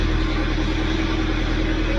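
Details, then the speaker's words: Mahindra Scorpio S9 BS6 diesel that cranked but wouldn't start: with the faulty differential pressure sensor unplugged, the 5 V supply fault clears and it starts, with steady diesel clatter settling to an even idle. Engine now runs. "क्योंकि वो fault चला गया है। Four जो था 5 volt का वो चला गया अपना जिसकी वजह से गाड़ी चालू हो गई है।"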